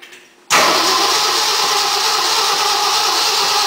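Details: 1965 Mercury project engine bursts into life on poured-in fuel and runs loud and even for a few seconds. It wants lots of fuel and seems fuel-starved, about to stall.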